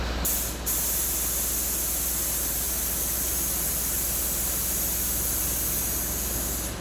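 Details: Land Rover Discovery 3 after replacement air suspension compressor fitted, engine running: steady loud air hiss held several seconds as suspension lowers; normal venting.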